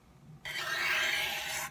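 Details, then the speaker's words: Sharpening an old dull blade on a large 12-inch Norton India/Crystolon bench stone: one harsh gritty scrape just over a second, grinding scraping sound; blade angle too steep. "okay if you get too steep of an angle you'll hear"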